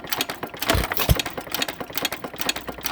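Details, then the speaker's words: Frost King Jr 23959 1-3/4 hp single-cylinder engine, second run after detent and spring adjustment, worn pins, low compression: quick clatter of sharp ticks with heavier thuds, pointing to a loose connecting rod, shim to remove. "Gonna have to take a shim back out rod too. I can hear"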